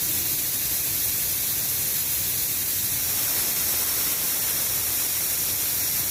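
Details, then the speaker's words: Shark 1 HP twin-cylinder belt-driven air compressor (550 rpm, 83 L tank, 7 bar): tank pressure is too high for it to start, so air is bled through an open valve; steady, loud hiss with no machinery noise; normal release. "Kenapa belum menyala karena dia tekanannya masih lawan puluh Oke jadi kita harus kurangi tekanannya dulu ya kita Nyalakan kerennya buka kram ya Kita buang angin dulu ya"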